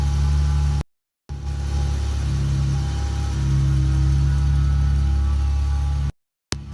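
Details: 2018 Dodge Challenger on cold start: steady rumble with a thin, constant whine above the exhaust drone; owner notes exhaust is louder than the whine; source not pinned down.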